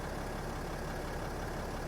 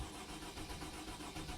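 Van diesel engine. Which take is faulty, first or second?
second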